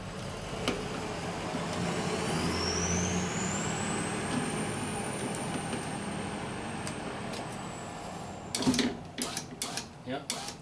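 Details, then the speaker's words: 2006 Honda Civic EX front passenger power window: motor whine rising then levelling as window travels up, running only after the motor was beaten on, voltage dropping to 11 V while working; internally faulty window motor. "now look at the voltage going to 11 when it's working there's something internally screwed up in that motor and that's what the problem was"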